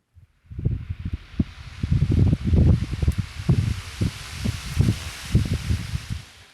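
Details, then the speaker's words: Cross-ventilation fan after disassembly, bearing cleaning, re-oiling, rust removal and paint; it had been screeching before. It now gives a steady airy hiss with gusty low buffeting and no squeal, drawing about 1.3 A. Normal running, bearing squeal gone. "you hear fan noise, not extremely loud screeching."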